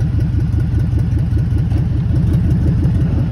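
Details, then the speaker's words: 2003 FE250 van (auction lot 22), running and being put in reverse: low, uneven puffing thump about 2–3 times a second over the engine note. Suspected catalytic converter or exhaust problem, unconfirmed. "Once again, another one with a catalytic converter. You can hear it, or exhaust issue on it, one of the two."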